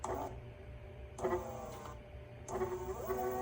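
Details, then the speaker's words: Puaida electric skateboard with its working replacement speed controller: short whirring hub-motor spin-ups rising smoothly in pitch, with beeps; it reaches 29 with no problem, unlike the faulty controller that locks the wheels at 20 mph. "motors work just fine. I was able to get up to 29. Yeah, so this controller works."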